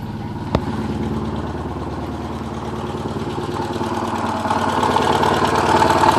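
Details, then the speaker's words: Porsche 944 first start after over ten years, with exhaust valves bent when the timing belt tensioner pulley fell off in 2005: smoking, uneven, stumbling idle with irregular chuffs while reversing under its own power; rough misfiring. "Okay, I can shift. We're moving backwards. Sounds pretty rough."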